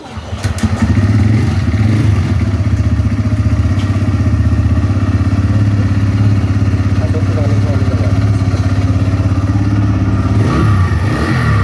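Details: TVS Rider single-cylinder bike started after a repair for a very worn timing chain and new gaskets. It idles with a steady, even low thump and no rattle or ticking, so the engine sounds healthy.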